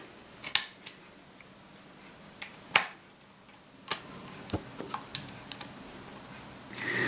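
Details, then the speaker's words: Harley brake lever after its pivot was cleaned and lubricated: it snaps back freely against the clevis with sharp, irregular metallic clicks. It was stiff before, causing the brake light to stick on. "you can hear the Liebherr banging against the clevis now that's lovely it was all stiff and chewy before causing the brake light to hang on"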